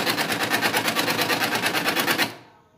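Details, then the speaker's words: HP LaserJet 202n making heavy noise whenever it prints: a fast, harsh rattling grind pulsing about seven times a second, then stopping. The drive gears are worn or cut and need replacing after opening the printer. "So friends करने लगे तो आपके printer के gears जो है वो बेकार हो जाते हैं कट जाते हैं"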